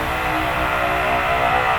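Steady, even hum with a constant drone and no surging or rattle; the vacuum pump is running normally.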